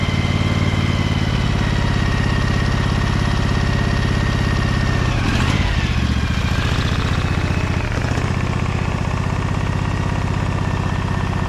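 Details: Briggs & Stratton Vanguard 23HP V-twin, low throttle: even, deep low thump at a steady idle with no misses, knocks or hunting. Smooth, healthy idle.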